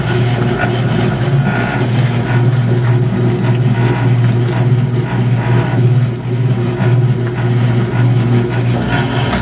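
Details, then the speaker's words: Maytag E2L wringer washer with a new motor cord, agitator running: steady low drone with an uneven rumbling churn about once a second. The mechanism is noisy, and the owner would like to add fresh oil or grease; cause not confirmed. "turn on the agitator getting a little bit of noise from the mechanism"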